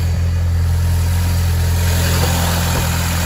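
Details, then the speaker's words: Engine idling with the engine lid open and an intake air hose missing (replacement on order). A loud airy hiss over the engine note comes from unmetered air where the hose is missing. "Donc comme vous pouvez voir, je m'écarte un peu, ça fait du bruit. Il manque la durite d'air encore."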